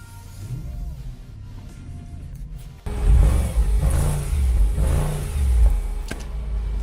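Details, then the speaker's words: 2009 Audi S5 bought non-running from auction, high miles, dirty and oily: quiet at first, then a deep even burble blips up and settles smoothly with no knocks or misses; the engine runs and sounds good. "and I'm happy to say this engine sounds so good it is dirty its oily but it sounds good"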